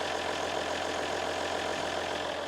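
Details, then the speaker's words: 2017 RAM 1500 3.0L EcoDiesel at idle: steady even soft diesel clatter with no misses or knocks; quiet, engine louder than exhaust, smooth and healthy. "Oh, it's just so smooth. I love the sound of a diesel."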